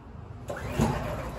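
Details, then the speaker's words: Champion dual fuel generator on propane: rasping recoil pulls and a brief chug that never catches, despite priming and half an hour of pulling. Cause is a faulty-batch propane regulator, and the fix is a free replacement regulator from the manufacturer. "pull feels like it's going to start it doesn't keep pulling i was out here for a half an hour"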